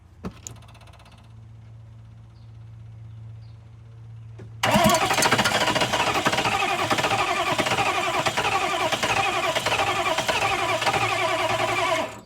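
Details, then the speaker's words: 1995 Chevy OBS 6.5 diesel, intake off with fuel fed by hand into intake; starter turns engine steadily about 3.5 beats per second for several seconds but never catches because fuel shut-off was off; crank no start. "well that was probably not the most productive because I had the fuel disconnect turned off fuel shut off turned off"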